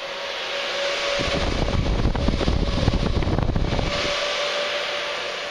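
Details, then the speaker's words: Fossibot F3600 solar power station charging from panels producing over 700 W, up to about 1600 W: loud steady cooling fan rush with a faint whine that swells for a few seconds then eases; fan working hard under heavy charging load, normal. "là ça ventile grave ça ventile énormément là on produit plus que 700 W"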